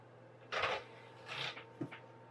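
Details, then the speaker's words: PS2 DVD drive, sold as not reading discs and tray constantly reopening, after cleaning and replacing the drive band: three quiet tray-motor whirs ending in a soft click, tray stays open without pulling back in; normal operation. "okay I'll just leave it open for a second or two and just see if it does pull itself back in which it doesn't appear to"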